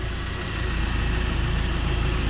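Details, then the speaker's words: VW Golf with freshly fitted secondhand engine idling, cap off while coolant bleeds: deep, even idle with a smooth steady pulse and no ticks or knocks; healthy and settled. "dude it's running it's running i'm so happy i jumped"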